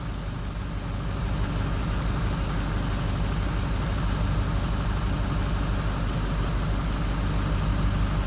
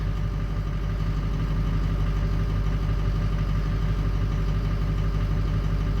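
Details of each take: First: 6.0L Powerstroke diesel at idle during a power-balance test: lumpy, uneven low thump of about three pulses a second as bank 1 odd injectors drop out (No. 7 seen first). The FICM is brand new. Misfire from injectors dropping out. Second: 2004 6.0L Powerstroke diesel after work on the odd bank (1, 3, 5, 7), after another five minutes running, not yet driven. Steady, even idle with a smooth low rumble and no knock or miss.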